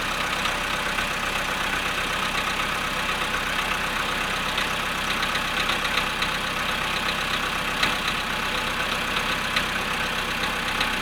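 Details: VW Polo sedan cold start at 0.5 °C after sitting 13 hours: steady cold idle with a fast, fairly even light knock, roughly four per second, over the engine note; cause not pinned down.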